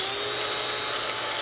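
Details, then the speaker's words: Restored 1960s Shop-Craft Model 9742 two-speed electric drill test-run after rebuild: high steady motor whine, no rattle or wobble; brush sparks expected, old motor smell, doesn't shake, still tight; normal running. "It doesn't even shake. It's actually in good shape. It's still tight."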